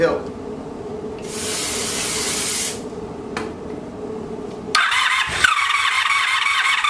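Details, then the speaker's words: Abandoned 1984 Honda Saber VF700S, cold first start after long storage on a gas bottle: hiss of starting spray, cranking, then it catches and runs fast and a bit uneven; exhaust full of water, still burning off water and oil, smoking. "i don't sound pretty good when it cranked up still gotta burn all that water and oil and whatever it is so so she's a smoker"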